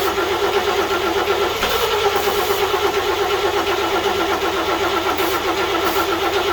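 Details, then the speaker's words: 1941 GMC one-ton pickup, 230ci straight six, first start attempt in 20 years on gas mixed with two-stroke oil: steady cranking with uneven coughs that never catch. Possibly flooded. "only got close once and that was it let's try again again [Music] i may have it flooded now"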